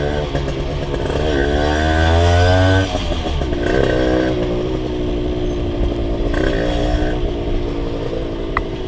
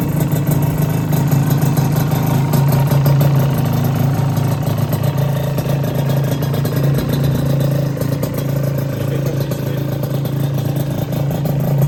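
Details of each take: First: Rebuilt Honda LS125 two-stroke while riding: revs rise and fall in uneven blips, low and high speed fine but hesitant pull through mid-range; owner suspects carburation and possibly gear ratio causing a mid-throttle flat spot. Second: Rebuilt Honda LS125 two-stroke, cold, no choke: deep, fast ring-ding burble holding steady at idle with no knocks or rattles; healthy.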